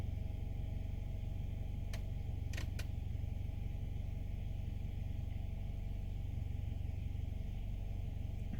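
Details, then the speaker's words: 2015 Nissan Altima 2.5 idling in Drive after replacing faulty exhaust valve timing solenoid (codes P0014, P0300): low steady even hum, no shaking, no misfire, idle no longer rough. "not shaking no more no misfire no idle is not rough no more"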